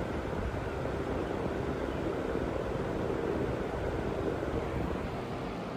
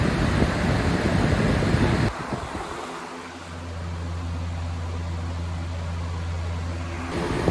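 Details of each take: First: Household cooling fan with heavily dust-caked blades, running on high: a soft, weak whoosh as if barely turning, with slightly higher wattage. Dirty blades are slowing the fan. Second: Household fan on high after cleaning the dirty blades: steady low hum settles in after handling noise, even and unwavering; fan runs smoothly.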